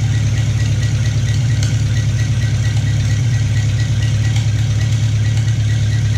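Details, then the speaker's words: Farmall Cub tractor first test fire after piston ring install, oil primed by hand-turning with plugs out: steady low thumping idle, even firing, no knocks or misses, not smoking; slight antifreeze leak at head gasket. "and it sounds good not smoking"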